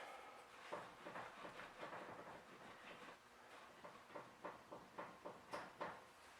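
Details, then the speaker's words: 2003 Acura MDX, key in ignition, front wheel rocked by hand: light, irregular clicks in the steering linkage. A bad inner tie rod on this side is suspected; the other side makes no clicking. "think that's the sound of a bad tie rod on this side I can't seem to get that clicking noise so I think the tie Rod's better on that side"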